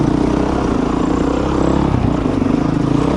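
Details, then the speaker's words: Dirt bike, just started: fast steady buzzing idle with no dips or hunting, noticeably above normal tickover; high idle speed. "All right, started right up. That's good. You can hear how high that idle is. And hopefully the bike will stay running."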